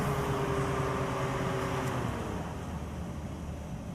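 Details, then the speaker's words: 2004 Nissan Murano 3.5L with P0340 cam sensor and purge codes: idle hum runs steady, then sags and dies. Stall suspected from a bad cam position sensor, not yet proven. "did it just die? It just died on me, guys. Oh, what codes did we get? Cam and purge. Cam sensor code, current."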